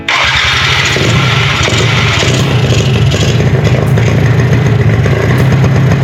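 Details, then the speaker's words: Quad (ATV) after new spark plug fitted: steady loud cranking churn that never fires. It runs on starting fluid but not on fresh gas, and the fuel lines are completely empty, so fuel starvation. "There is not a single drop of fuel in these freaking lines. That would explain why it will run off starting fluid but not run off the gas I just put in it."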